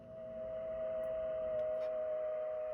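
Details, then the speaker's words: Hallicrafters S-40A receiver's local oscillator heard on a nearby Kenwood radio and SDR with no antennas connected: a steady, pure unwavering tone; the oscillator is radiating very strongly. "is the local oscillator from this, and I'll turn it up enough so you can hear it. Sounds scary."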